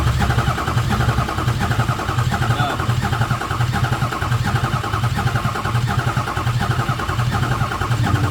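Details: Non-running 2006 Ford F350 6.0 Powerstroke diesel 4x4. Steady rhythmic cranking, a bit over one beat a second, with no catch: crank, no start. No oil reaching the top during the check; the front-mounted oil pump is suspected, not confirmed.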